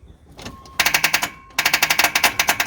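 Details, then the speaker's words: 1985 Chevrolet C10, high-compression 383 stroker with TH350, after 10+ years: two bursts of rapid sharp clicks, no cranking; starter solenoid chattering from a loose solenoid wire. "what the hell noise wires a little loose let me clamp it down a little bit"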